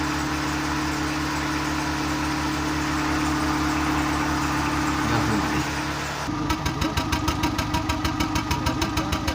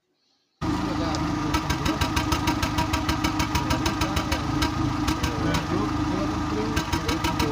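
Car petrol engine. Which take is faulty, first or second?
second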